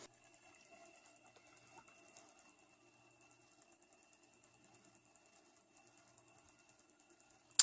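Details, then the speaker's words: Sony MZ-R900 portable MiniDisc recorder after cleaning with IPA and removing a small stone rattling in the case, disc reinserted: quiet quick regular ticking under a faint thin whine as the pickup reads and seeks; normal disc read. "looking good make that funny noise when he's happy as well"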